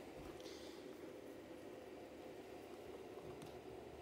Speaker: so unfortunately these yeast site bites even though they look great and they were they worked really good as lights they introduced this terrible noise into my whole DMX line